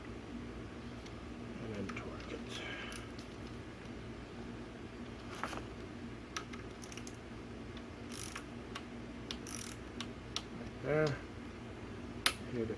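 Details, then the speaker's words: Torque wrench tightening the handlebar stem bolts while assembling a Motobecane 29er mountain bike. Sharp ratchety clicks among handling noise as the wrench breaks over cleanly at the set torque. "clicking right there right there probably to do just one more round there it is"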